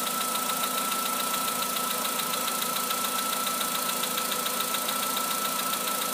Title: Работа двигателя Polo Sedan. Стук поршней.